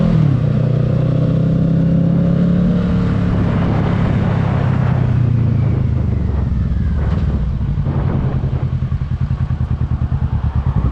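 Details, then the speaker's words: 2022 Kawasaki Ninja 650 ridden with the windscreen removed: steady engine drone and wind, no buzz or rattle from the front fairing, confirming the windscreen caused the vibration noise. "Okay, so as y'all saw in the video, like I said, no fairing vibration at all with the windscreen off."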